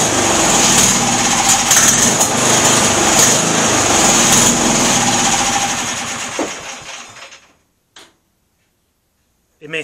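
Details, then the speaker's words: MTD lawn tractor bought at auction, first start after cleaning: fast buzzy small engine runs rough a few seconds then sags and dies, only kept running by carb cleaner sprayed into carburetor; fuel filter appears empty, fuel starvation. "i was squirting starter fluid in the carburetor which was keeping it running actually i guess it was carb cleaner but either way that's what was keeping it running for some reason the fuel filter doesn't seem to have any fuel in it"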